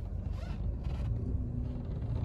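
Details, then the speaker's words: Volkswagen Taigun SUV at workshop, engine off: low irregular creaks and groans as the body is rocked side to side, occurring only when the car unbalances left-right on uneven roads, not when straight; body creak under twist, source not pinned down, cause unconfirmed. "এই এটা সোজা বেরোলে হতো না, যখনই গাড়িটা একটু এদিক ওদিক হচ্ছে। হ্যাঁ লেফট রাইটটার ব্যালেন্সিংটা যখন থাকছে এই আওয়াজটা বলছে।"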